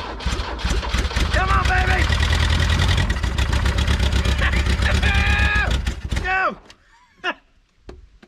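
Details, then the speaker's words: Old salvage-yard truck with carburetor hand-fed fuel from a squirt bottle and choke held open: fires and runs unevenly with a lumpy beat for several seconds, then dies; rough running. "She's trying. She ain't the happiest. We can get her a little better than that, I think."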